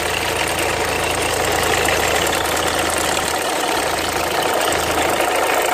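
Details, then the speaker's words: 2003 Renault Mégane 2 phase 1 1.5 dCi diesel idling; faint fast bird-like chirp about three per second over the diesel clatter; owner suspects the timing belt needs redoing, cause unconfirmed. "Voilà, c'est un bruit d'oiseau."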